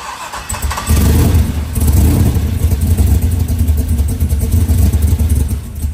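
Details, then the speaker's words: Mid-mounted 6.0 LS V8 with 4L60E in a 1971 International Harvester Metro Mite postal van, EFI just wired, first start: lumpy, loping idle from the big "thumper" cam, firing cleanly with no knocks; normal idle. "oh it's really starting to sound good now oh yeah we got to get mik over here I thought I just thinking that sounds really good it sounds awesome that's the thumper cam"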